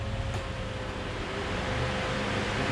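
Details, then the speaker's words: 6.0 NA build, relay-powered electric radiator fans switched on at key-on: steady even rush of air with low hum, no rattle or grinding, fans working normally. "ayed fan power everything else is on a key infused appropriately and these fans actually kick out a ton of air"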